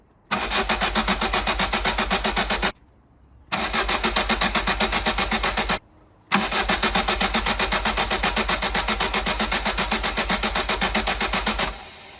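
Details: MK2 Golf GTI four-cylinder engine, fuel pump relay removed, compression gauge fitted, cranking each cylinder in turn: starter cranks in steady, even, light bursts at about four beats a second. Low compression; owner suspects piston rings, head gasket or an unskimmed head.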